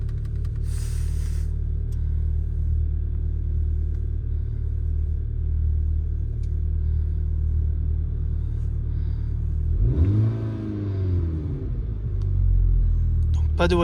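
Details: VW Golf 6 GTI start right after replacing the N80 canister regulation valve: starter churn, catches at about ten seconds, brief flare then steady even idle; no engine warning light, repair successful.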